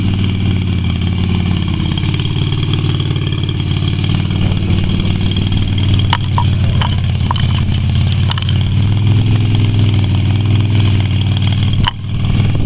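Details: Yamaha Virago XV250 V-twin after six years in storage, oil topped up but not changed: low, lumpy idle with uneven beats and occasional ticks, still running rough.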